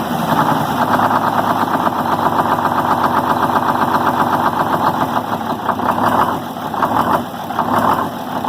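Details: 74-year-old Greyhound bus diesel after fuel system priming: clatter settles into steady idle with slight wobble toward the end, keeps running once air is purged; normal running.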